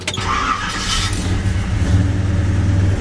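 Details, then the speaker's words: 1971 Chevy C10 V8 after bolting up a loose bolt that nearly caused a tow-home failure; cranks, catches quickly, steady even idle with no scraping or knocking; normal start. "just like new that was just before it being a show stopper right there"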